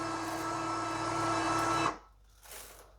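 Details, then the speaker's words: Litter-Robot 3 self-cleaning litter box finishing a cleaning cycle and repositioning: even motor hum about two seconds, then clean stop with no grinding or clicking; normal operation. "So, see, all the clean litter's coming back through there, look. And then, in a moment, it will just reposition itself."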